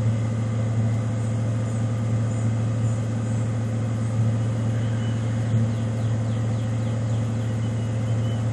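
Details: 1995 Ford Mustang GT V8 (OBD1) during KOER engine-running self-test via jumpered EEC self-test connector: RPMs shoot up two to three minutes while codes output; steady deep rumble at raised even idle, no knocks or misses, normal.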